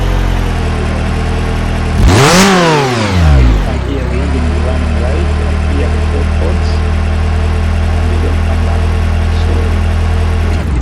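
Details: Engine after replacing faulty cylinder one fuel injector (misfire and injector circuit codes on cylinder one): clean rev rises smoothly and drops back to a steady, even idle with no stumble or miss; repaired and running healthy.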